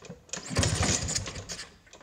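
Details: Vespa P200e two-stroke on 50:1 premix, with fresh fuel lines and a new filter, died after a ride. It gives short uneven cranking bursts that never fire. The spark plug is wet, and the owner suspects spark.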